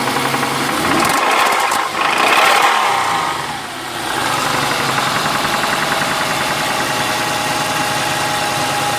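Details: Ford Mondeo ST220 3.0 V6 24v revving then settling to idle with an uneven knock, about three or four a second, under the engine note.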